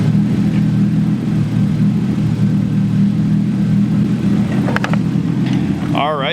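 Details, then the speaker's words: RB20DET-swapped Nissan 240SX S13 with a big turbo, after new lifters, refitted cams and timing belt, and a vented catch can: an even, steady idle with a smooth low hum and no ticking or knocking. Normal idle. "boys so as you can tell she is running very good"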